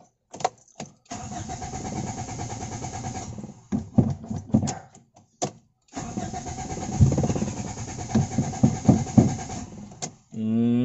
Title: AEFE 92 ENG. HARD STARTING ENGINE ISSUE DONE.